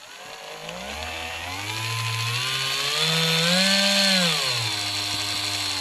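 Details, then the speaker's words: Marui Big Bear R/C monster truck during assembly, one wheel held to work grease into the differential: smooth motor and gear whine rising and falling evenly, no clicks or grinding; differential working properly. "if we hold one side our diff should work there we go hold the other side get all that grease worked in there very nice"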